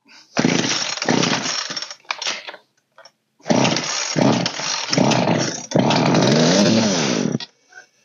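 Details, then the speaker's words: Old Poulan 3616 chainsaw after carburetor adjustment, fresh gas; fires and revs in short bursts then dies right away each time, idle needs raising: engine stalls right after starting. "like hear how it died right away that means our idle needs to be raised"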